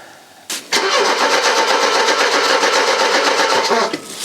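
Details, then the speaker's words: Mercedes W123 with a new battery: the fuel pump can't be heard priming. The starter spins the engine briskly at about four turns a second for three seconds, but it never fires. Crank no start, fuel supply suspected. "well at least it cranks easy with the new battery in it that's that's one positive to take away from this"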